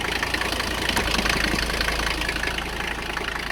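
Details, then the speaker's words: Abandoned Mercedes 300CD diesel, revived after glow plug checks: loud, uneven knocking, two to three beats a second, lumpy idle, missing some cylinders; owner suspects it needs fuel, cause unconfirmed. "i think she needs some fuel she's running on less cylinders than she should be"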